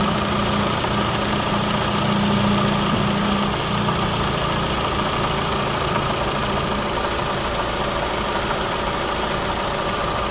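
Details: 2017 Toyota Camry SE at idle: light, uneven rattle about four times a second from something loose in the engine bay; engine mounts and belt tensioner already replaced, source unknown.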